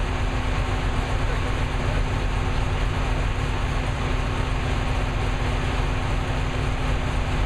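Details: New V8 with Lunati 60140 solid cam, running hot after valve lash was reset from about .010 to .014 intake and exhaust: steady, even rumble with a light, uniform valvetrain tick and no loud clatter; lash sounds properly set.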